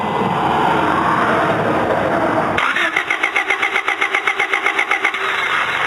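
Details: Honda Del Sol that ran fine, then wouldn't start next morning: starter cranks steadily about four beats a second but engine never catches; good fuel pressure, weak intermittent spark, coil ohmed OK but was bad and fixed by replacing it.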